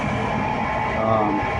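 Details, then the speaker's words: Furnace draft inducer motor gives a steady high squeal over its hum and sometimes fails to start. A replacement capacitor helped only briefly, so the failing motor itself is being replaced. "the motor itself started to give out and you can hear it right now squealing"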